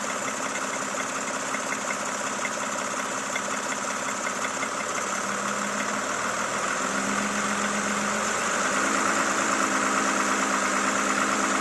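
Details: Toyota Camry XV70 3.5L V6, 30,000 km: light, regular ticking about three times a second over steady idle; knock from inside the engine at idle, cause not yet known.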